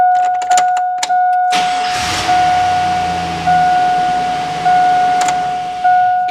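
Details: GM Silverado with an intermittent crank no-start after sitting, just after camshaft position sensor replacement: brief crank, catches promptly and settles to a steady idle with the door chime pinging; healthy start.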